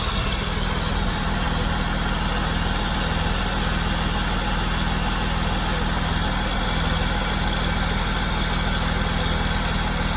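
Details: VS Commodore wagon, engine due for a rebuild: steady even low rumble with a smooth beat of about four per second and no knocks or misses; normal idle.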